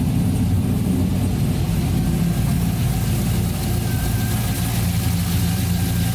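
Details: 1992 Toyota Land Cruiser FJ80 with swapped 6L L98 V8 and 6L80 transmission, first startup after conversion, tach and oil pressure gauge not yet working: deep, fairly steady idle with low rumble, no obvious knocks; healthy normal idle.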